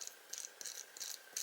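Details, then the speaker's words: Tarot 130 (TL130H1) quad, brand-new 1104 brushless motor spun by hand: short, dry, high-pitched rattling bursts about three times a second, unlike the other three motors; the shaft isn't loose, rattle comes from inside the motor. "sounds like it's rattling the shaft's not really loose"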